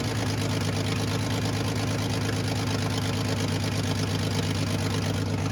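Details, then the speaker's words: Datsun 280ZX, 300,000 miles, one owner, just revived after fuel pump relay replacement: idling with deep steady rumble and faint puffing tick from a slight exhaust leak. "as you can hear it has a slight exhaust leak"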